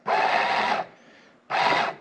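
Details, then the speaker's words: Walker zero-turn mower implement-mount linear actuator bench-tested on a battery through thin jumper leads that overheat under the current draw: two crisp bursts of steady motor whir without grinding; the actuator works. "all right it does kind of work with these they're just gonna almost melt in my hands"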